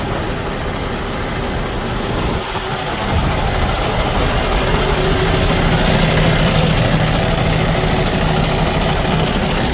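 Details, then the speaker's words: 2015 Cummins ISX15 diesel running with a broken valve in the cylinder head: uneven, loping idle with a faint hiss from the intake or exhaust area; compression leak from the broken valve. "Uh usually you want to hear uh hissing sound coming from the exhaust area or from the intake area and is firing engine is not running stable."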